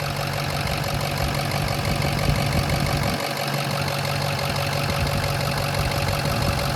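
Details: Diesel truck idling steadily and evenly, no misses or stumbles, after restart once a forgotten unplugged plug was reconnected and fuel pumping restored; injectors seem okay after brief fuel starvation; normal idle.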